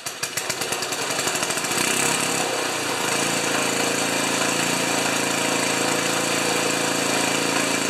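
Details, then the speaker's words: Ariens 2+2 snowblower small engine with a new coil, which reportedly quit after half an hour: catches after a few sputters, then a busy, slightly lumpy idle; idle mixture judged to need leaning out about a third of a turn. "sounds like it needs just a little bit of Leaning out on the on the idle yet a third of the turn"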